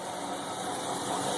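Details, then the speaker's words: 1977 Lincoln Continental V8 idling at first start after sitting, on old oil, fuel from a gas can bypassing the holed tank: even, steady soft hum, no knocks, misses or stumbles; running smoothly. "runnin ice is very smooth"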